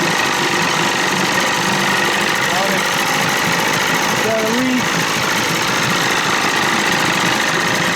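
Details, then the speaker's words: 30 hp Evinrude outboard running cold, with no thermostat, at steady speed; a thin, high screech rides over it as the faulty starter drive (Bendix) creeps round and drags on the flywheel, making the screaming noise. "that starter's screwed up that's what's making all the screaming noises"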